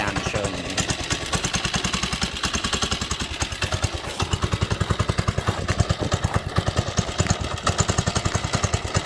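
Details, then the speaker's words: Baja Doodlebug mini bike, stock 97cc Baja engine, cold, not warmed up: quick, uneven, sagging single-cylinder idle that stalls on its own; runs poorly, engine worn out; warm-up needed or it dies. "i stalled it again thank you that just stalled and i wasn't even doing anything so as you can see it doesn't run great"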